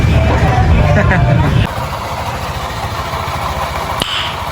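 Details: Honda PCX 150 scooter after CVT repair (worn, slipping drive belt addressed; new pulley and 1,200 RPM clutch spring fitted): revs then drops to a steady idle, drive smooth with no belt slap or rattle; normal CVT running.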